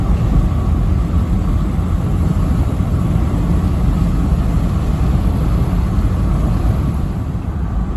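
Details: Toyota with a new 1KD diesel engine replacing one whose injectors were badly worn, driving. A steady, even diesel drone under road rumble with no knocks or misses: the engine runs healthy.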